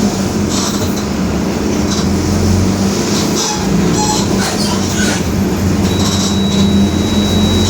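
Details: 2021 Marcopolo Torino S bus on Mercedes-Benz OF-1721 BlueTec 5 chassis, urban route, under way: steady low hum beneath road and engine noise, holding pitch with speed; differential growling.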